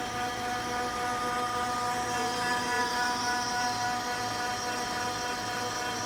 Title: OKI C931e printer making loud noise at startup